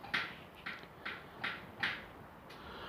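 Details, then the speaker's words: Chevrolet Niva: sharp, hollow knocks about every half second when turning the steering wheel; power steering pump first suspected, but the frame at the steering box mount is cracked. "Когда поворачиваешь руль, что-то стучит. Ребята, в рулевом управлении появился характерный звук ."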